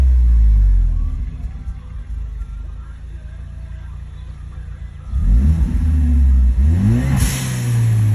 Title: Whining noise